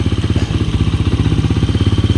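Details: Honda TMX 125 single-cylinder converted to battery-operated CDI, running and charging at 14.8 V; even putter at a steady fast idle, regular low thumps with no misses or clatter; engine running properly.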